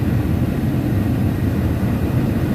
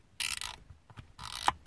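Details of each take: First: 1995 Chevy Suburban: steady rush of air with low motor hum, no ticking or scraping, modes switching from defrost to feet; blower and mode door motors working normally. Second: Used HVAC control head from a 1995 Chevy Suburban whose AC and recirc buttons failed: gritty ratcheting clicks as the dials turn, unlike the quiet new unit; worn control dial detents.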